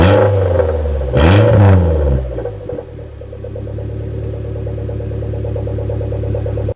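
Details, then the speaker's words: Suzuki Jimny started with the rear muffler (back box) removed, effectively straight-piped: a sharp blip to high revs, then a deep, loud, throaty rumble at idle; it is louder than it was before. "that didn't sound that bad actually that sound quite throaty"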